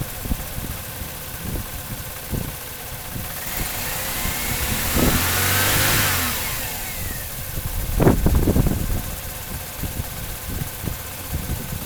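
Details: 1997 Chevrolet Cavalier with code P0300 random/multiple misfire: a rough, lumpy idle with uneven low thumps. A bad ignition control module let only one coil pack fire; new coil packs changed nothing, and replacing the ICM fixed it.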